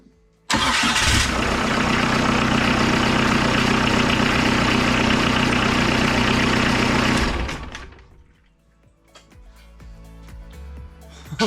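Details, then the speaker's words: Kubota V2403 diesel swapped into a TJ Wrangler starts immediately after mounting a new fuel filter/water separator and bleeding fuel with the engine's bleeder valve, settling into a steady, even diesel clatter with no stumble. "Okay, everyone, that started up way faster than I was expecting. This little bleeder valve on these Kubota engines are amazing."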